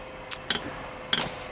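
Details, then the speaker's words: Chinese diesel heater running an experimental 50/50 blend with 10W30 engine oil. Its dosing pump gives a few sharp, light ticks at an uneven pace while priming, still pumping air before the thick fuel comes through. "basically a minute later you can hear it clicking now so we've got to wait for the um"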